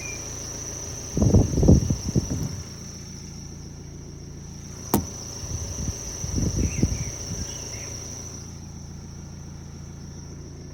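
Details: 2011 BMW 1 Series M Sport: idling engine with bursts of chirpy rubbing squeaks and a faint steady high hiss or whine; noise starts at engine start, present stopped and running, fades a little after 40+ minute drives; cause unknown.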